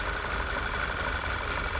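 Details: VW 2.0 TSI turbo (Tiguan), P2187 code, bell housing oil leak; idling before brake cleaner is sprayed through the torque converter check window, where it then runs better, confirming a failed rear main seal; uneven idle throb with faint hiss, crankcase vacuum leak.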